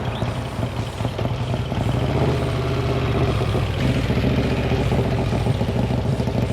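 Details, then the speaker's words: 1956 Harley-Davidson FLH Panhead idling after a top-end rebuild; loose metallic clatter over the lumpy V-twin exhaust beat, suspected from a loose muffler whose clamp was likely fitted the wrong way round. "Like the tuning-wise muffler that Lance put on, I think he put the clamp on the wrong way and that's why it flipped out. And it's really loose. I think it's rattling right now."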